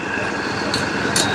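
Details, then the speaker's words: 2013 Hyundai i10 Grand Magna diesel, previously hunting, knocking and black smoke with no DTC, after ECM change; even steady diesel idle with no knocks or misses, normal idle. "अब हमारा engine बिल्कुल शांत है और उसमें कोई खटखटाहट नहीं है।"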